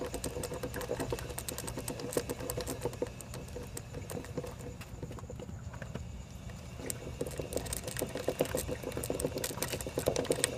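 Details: 2007 Suzuki GSX-R1000 (K7): rapid, steady clicking over a low engine rumble, coming from the front sprocket area.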